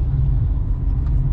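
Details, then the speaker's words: BMW 123d E81 N47 diesel idling after timing chain and tensioner replacement: low even rumble, no rattle or chirping buzz, no warning light; normal idle. "je reprends à nouveau tout va très très bien plus de voyant plus de problème"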